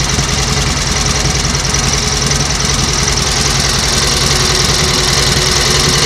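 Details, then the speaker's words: 1938 Matchless 990 cc Model X V-twin, revived after years laid up, idles with a steady loping beat and light valve chatter and no rattles or clatter. Oil is returning to the tank. Normal idle, running healthy. "well that is running absolutely beautifully isn't it no Raffles no clatters"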